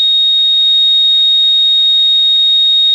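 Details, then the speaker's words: Radio receiver on lower sideband, ground-plane antenna, about 10 dB: single unwavering high-pitched tone with no pulsing; constant carrier of unknown source and direction. "a flat tone being transmitted out at ndb's of my ground plane out there so I don't know which direction it's coming from"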